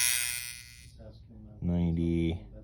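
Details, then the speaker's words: AA31-001 dimmer board with incandescent lamps, PWM ramped up: a steady low buzz starts at about 50 as the bulbs begin to light, continuing through 60–80; the board buzzes under load. "50 is when the buzzing starts and you can see the bulbs are starting to illuminate 50 60 70 80."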